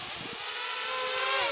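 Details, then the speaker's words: XK X252 quadcopter at 100% throttle flying inverted, after balancing props and tightening the frame with zip ties: smooth high whine climbing steadily in pitch, no buzzing or wobble; normal full-throttle running, vibration gone. "And I found that it doesn't do the vibration at all. There's 100% throttle"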